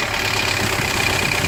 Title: M115.920 timing chain noise